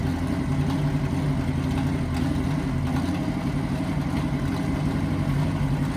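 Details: 1963 Chevy C10 small-block V8 under restoration, idling before mufflers were installed. A deep, loud, steady rumble with a choppy low pulse barks straight out of the manifolds. Loud exhaust without mufflers.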